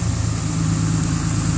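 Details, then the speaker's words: Stock truck in automatic high idle mode, set via cruise control or triggered after about two minutes below freezing outdoors: steady, even engine drone held at raised idle, no knocks or misses; normal high idle. "it's also got a high idle feature you set the cruise control on and you can run that up that's going to actually do that automatically after about two minutes anytime the temperature outdoors below freezing and you can hear that goes into a high idle mode"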